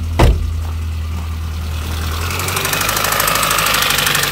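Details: MINI One R50 1.6 16v 90hp, cold idle: fast metallic rattle building over the steady engine hum, not present cold before; slack timing chain, hydraulic tensioner not holding.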